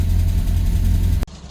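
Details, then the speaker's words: Renault R8 project car idling about two minutes after a cold start, after resetting the valve clearances, fresh oil and coolant and setting base idle; a steady, even low rumble with no ticks, knocks or hunting, a normal idle. "And that is about 2 minutes after a cold start."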